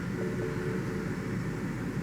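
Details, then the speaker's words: 2005 BMW 645Ci 4.4 L V8, idling in reverse after reseating the cylinder 6 coil connector (misfire above 2,000 rpm after new plugs and coils): steady, even low drone with no stumble; smooth normal idle, misfire fixed. "and it's smooth as can be."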